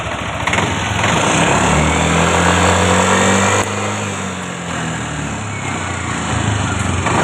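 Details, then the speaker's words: Fuel-injected motorcycle that showed VVA fault code 84, revved after the VVA solenoid connector was pushed back in until it clicked: revs rise and fall smoothly with no misfire or stumble; VVA working normally, likely a loose socket. "Được rồi, các bạn. Ở đây, hệ thống VVA vẫn hoạt động bình thường."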